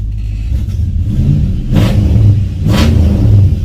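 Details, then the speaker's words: 1966 Ford Fairlane V8 after replacing distributor to fix a starting and stalling issue, timing not yet set: deep even burble with two clean throttle blips, no misses or stumbles; running well, normal idle. "Okay guys, considering that we have yet to set the timing on this is actually running excellent for me, just to having dropped the distributor back in there and kind of got it in the same place as the old one that I removed."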